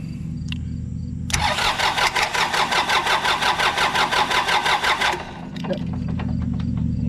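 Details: Yanmar 3200EX tractor cranking with starter jumpered: starter churns steadily at nearly three pulses a second for about four seconds and never catches; not getting fuel, owner suspects safety switch in start circuit.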